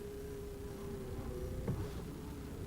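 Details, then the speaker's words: 2010 Buick Enclave, 125,924 miles, idling: steady mid-pitched whine and groaning over low idle rumble from the power steering pump; much louder when cold. "now you can hear a little groaning in the power steering"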